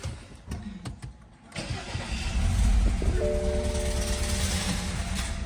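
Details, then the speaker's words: 2013 BMW X3 with the 2.0 L turbo N20, towed in, cold start: it starts, then idles with an uneven, lumpy beat from a misfire; cylinders 3 and 4 later show low compression. "That does not sound good. Going to have to scan the codes and see what's going on with it. But as of right now, that sounds sketchy."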